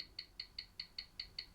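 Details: Old wind-up mechanical watch, repaired after running 10 minutes fast per hour following a drop, on a timer in a different position, now reading slow: crisp, even ticks about five per second with nothing between; steady, healthy beat.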